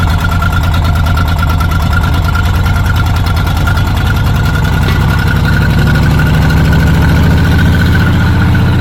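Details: Old Caterpillar D6 dozer diesel at about half throttle after fuel supply fixed, steady even clatter with firm regular beat, no misses; runs smoothly, normal running.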